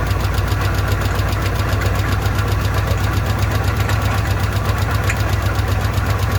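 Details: Old car with an old carburetor run on fuel poured into the bowl: uneven, lumpy low thumping at a fast idle, irregular and near stalling; owner says the bowl isn't taking fuel and the fuel pump isn't pumping.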